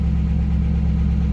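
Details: Car with 93,000 original miles, running on a jump box: rough, uneven low drone with faint pulsing beat; worn engine with zero oil pressure, sounding hurt.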